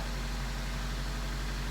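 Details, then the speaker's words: 2003 Honda CR-V just back together after timing chain repair, started cold without warm-up: steady, smooth low idle with no knocks, rattles or stumbles. No check engine light, which flashed before the repair; normal idle. "gonna let it sit here idle for a minute this is beautiful you couldn't ask for more than this"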